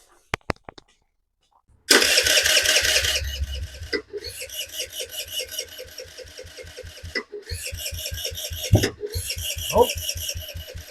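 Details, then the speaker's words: 2007 Kawasaki KFX50 four-stroke 50cc quad, after carb cleaning and main jet refitted, repeated starter cranking with brief sputtering catches that never run; owner suspects old yellow gas. "it definitely wants to fire up but it's uh it's having some issues"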